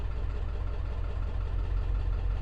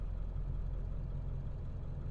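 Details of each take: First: 2002 Ford F250 7.3 Powerstroke diesel started after key cycling to prime fuel: heavy idle stumbling unevenly, about three lumps a second, irregular beat; rough idle with P1316 injector drive module codes, failing IDM. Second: 2002 Ford F-250 7.3 Powerstroke diesel, previously idling rough, after ICP sensor and injector drive module replacement: deep, steady rumble with an even beat and no misses, knocks or stumbles. Normal idle.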